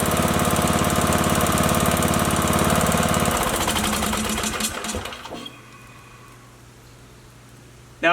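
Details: Briggs & Stratton 19.5 OHV single after a head gasket replacement and valve guide fix, oil at the low end of the dipstick: steady, even running for a few seconds, then it winds down.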